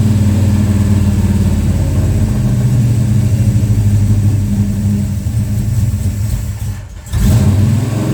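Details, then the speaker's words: Plymouth Road Runner V8 after engine overhaul, timing heavily advanced after seeming too retarded, near operating temperature, owner mentions pre-detonation: uneven, lumpy, hunting idle with a brief dip near seven seconds. Rough idle, cause unconfirmed. "Just want it to idle. The timing might be a little too retarded."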